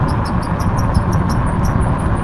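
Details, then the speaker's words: Squeaking from a loaded trailer towed behind a Hidoes B6 electric bike during a range test over hilly road: quick shrill chirps about six a second ticking with wheel rotation over road rumble; rider suspects a wheel bearing or something rusted. "that that's definitely a a wheel bearing or something rusted. I need to have a look at that."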